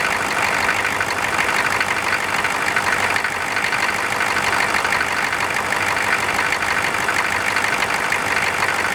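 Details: Air-cooled engine cranked cold with its fan just installed: an even, busy idle with a steady airy fan roar and no clear knock or miss. Normal cold idle.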